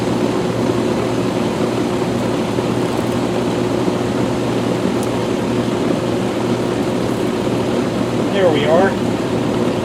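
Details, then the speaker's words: Rheem Classic central air condenser, first startup of 2022; steady low hum with even fan whoosh, no rattles, squeals or grinding, sounding as it always has; normal running. "It sounds now, while I didn't hear the startup, I'll hear in the video, but it sounds now how it always has. So that's a great thing."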